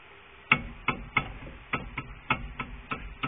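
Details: Brake caliper knock after a makeshift fix (wire on the tube and a spring on the bracket): sharp, light clicks at irregular intervals of roughly a third to half a second; cause still uncertain.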